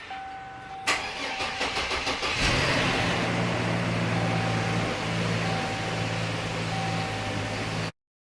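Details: Trailblazer/Envoy 4.2 engine-swap vehicle, first start after the swap with an unreliable battery charger: starter cranks unevenly about two seconds, then catches and settles to a steady, even idle with no knocks. Normal start.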